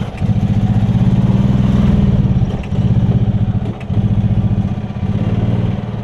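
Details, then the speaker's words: Yamaha golf cart small single-cylinder engine with fuel problem, now running without choke: chugs along, then bogs and dies whenever throttle goes past about half. "it's like when you give it more gas than what than just light throttle it doesn't like that so it's like as soon as you get on it like like that right there it dies out"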